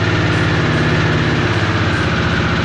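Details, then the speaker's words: Harley-Davidson Sportster S on a cold day in the garage: a lumpy V-twin idle right after startup with a quick, light clickety-clattery ticking on the beat. The owner calls it a design flaw that will eventually need costly repair, beyond a valve adjustment. The cause is not confirmed. "But it's also the reason that the engine makes that weird little clickety clattery noise whenever you first turn it on, something like this."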